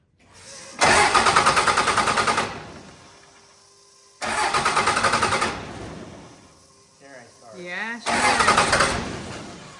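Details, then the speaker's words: Diesel cranked in three bursts of about two seconds each, turning over without firing while air bleeds from the loosened injector lines; pump now free of air and expected to start, and it then ran. "you just barely got a turn okay well that means the pump is free of air that means it's probably going to fire up it probably fire once you get three of them it'll probably start"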